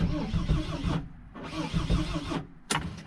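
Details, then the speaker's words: Mercedes Sprinter diesel on its first start attempt after new tank and fuel pump, after the glow plugs: the starter turns the engine in slow, uneven chugs, quits, then grinds again without catching. The owner fears the starter is malfunctioning, and diesel sprays afterward. "did we kill the starter in the process guys the way it's our turn ink does feel like it wants to start kind of sorta has that feeling"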